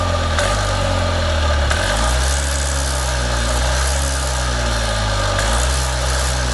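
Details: Columbia Parcar golf cart small engine idling on auxiliary fuel after sitting with rancid gas; low steady drone with even firing, no knocks or misses, normal idle.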